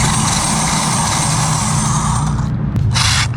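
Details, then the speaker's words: Vintage Traxxas nitro Rustler converted to a 6S electric, first run with the steering not working: harsh metallic grinding and rattling under heavy motor whir as the metal drivetrain gears chew against each other. Gear grinding. "You guys can probably hear the freaking metal gears grinding."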